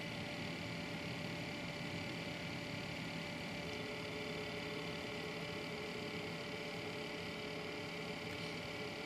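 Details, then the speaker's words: Newly built PC at startup: a steady whirring hum with whiny fan tones and a fine buzzy rattle from the Corsair 100 liquid cooler pump, a rattle other owners have also reported. "here are the fans winding down now listen to it when it starts up pretty windy so you hear the whiny fans and the rattling corsail"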